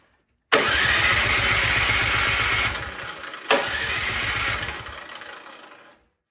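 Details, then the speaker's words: Cub Cadet snowblower cranks in two long steady starter bursts but never fires; old gas had been drained from the carburetor, and the main jet was later found clogged. "we're going to take the main jet out nice to spec that is what's clogged up yeah there it is"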